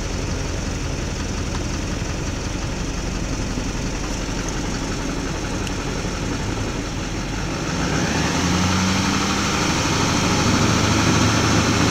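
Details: 2004.5 Duramax LLY diesel truck: uneven lumpy idle knocking about four times a second that levels out and smooths once a little throttle is given; rough idle.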